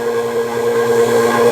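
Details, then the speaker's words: Car A/C recharge after vacuum pump-down, R134a: pump drone gets louder and rougher as a little air is let in through the oil can's poked hole via pressing the Schrader valve; normal, no fault. "You hear the change in the pump? That's because I added some air to the system. I add it a little bit."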